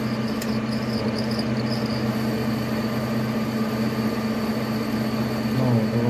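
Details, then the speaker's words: Boring bar cutting in a lathe bore, before a neodymium magnet is applied to damp it: thin, steady high whistle over the spindle hum, the bar chattering and squealing loudly; the magnet stops it. "Смотрим начинает пищать слышно очень сильно"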